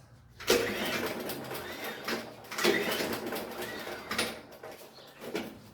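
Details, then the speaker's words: Nearly new Makita lawnmower with a Briggs & Stratton engine that suddenly would not start; four quick, light rope pulls whoosh freely with no resistance and no chuff or firing, suggesting no compression; valves suspected, not confirmed. "There is no resistance. I'm suspicious about something here. You should first see if there is compression."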